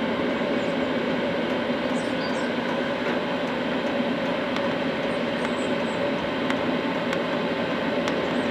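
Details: Cheap Chinese diesel night heater from eBay, running after defective fuel filter replaced, building up to full capacity; steady even combustion roar with soft hum, no popping or surging: normal running.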